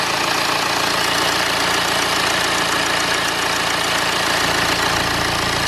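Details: BMW N47/N57 diesel after replacing crankshaft pulley (damper), drive belt, tensioner and idler pulley: steady even idle with light regular clatter and no squeal, chirp or knock from the belt drive; healthy.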